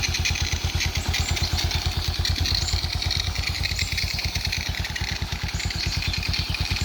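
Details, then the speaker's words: Suzuki Smash Titan single-cylinder at warm idle after nearly 1 hour running, following rebuild with Shogun 0.75 oversize piston and new oil filter: a quick, even beat with no knocks or misses, smooth and healthy, though oil still drips. "tadi sudahah kita hidupkan selama kurang lebih hampir 1 jam dan ini mau kita udapkan lagi ini kenapa juga masih netes-netes olinya tadi ya kontaknya pun masih ya masam Min lah oke suara halus halus punya suara"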